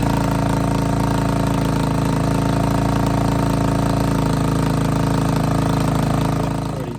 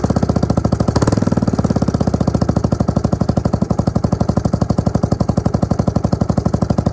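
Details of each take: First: Suzuki LT250E Quadrunner, pull-started with weak battery and choke stuck: single-cylinder chugs at fairly steady idle with faint speed waver before cutting out; intermittent fuel starvation then surging, new fuel pump planned. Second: Suzuki LT250E Quadrunner single-cylinder quad after new fuel pump for fuel starvation and idle problems: crisp steady thump about four beats per second after brief throttle blip, settling into even idle; fixed.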